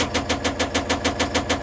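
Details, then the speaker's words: Caterpillar 950M wheel loader diesel with knocking engine, cylinder cutout test at idle: steady rhythmic chuff about seven per second; cutting cylinder 5 changes nothing, so cylinder 5 is dead, while cylinder 3 showed suspected rod knock. "Cylinder 5 isn't working. See, there's no change. Now, watch when it cuts back in. You didn't hear anything change. So, cylinder five ain't doing nothing."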